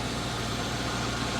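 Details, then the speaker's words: 1980 Chevrolet Scottsdale 350 V8 on first start after sitting 26 years, fuel system just hooked up: steady, even idle with smooth low rumble, no knocking or pinging. Normal idle. "Like there's no knocking or nothing, eh? That's ridiculous. That sounds super nice. After sitting 26 years here, and that motor, there's no knocking, there's no pinging or nothing."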